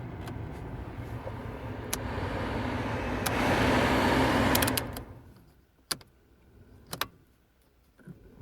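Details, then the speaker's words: Vauxhall/Opel Meriva HVAC blower fan that had failed on all speeds, after resoldering its contacts and refitting: steady, even rush of air for a few seconds, then a clean switch-off; blower now works normally, repair successful. "and it should work okay let's go here we go so kyon it's gonna turn oh sweet hope you can hear it"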